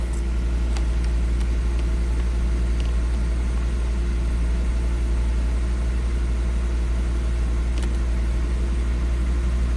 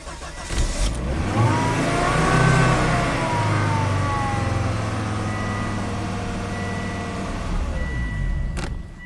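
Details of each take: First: 2005 Volvo XC90 Turbo, 80k miles, after clearing trouble codes, just started: steady even low rumble, no knocks, misses or surges; normal idle. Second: 2005 Volvo XC90 Turbo, 80k miles, idling after restart at 56 PSI: engine runs evenly then cuts out abruptly as if key switched off, with pump relay on and pump duty cycle about 33%; stall from fuel pressure loss.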